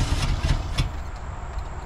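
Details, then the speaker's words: 1987 Ford F150 during an EFI-to-carburetor and HEI distributor conversion; the starter cranks with a steady, quick chug and a few stronger pulses but it never runs. Owner suspects it is getting no fuel; not confirmed. "in I don't think it's putting any fuel in it at all"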